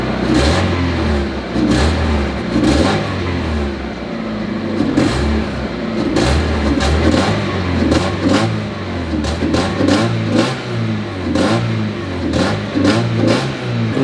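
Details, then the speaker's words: Barn-find Miata not run in 3 years, started about 5 minutes ago and warming, no smoke, condensation at the tailpipe: revs rise and fall in even swells with light metallic chatter, likely valvetrain; quiet overall. "it's actually running pretty quietly it's making a little bit of noise a little bit of chatter you can hear but honestly not bad"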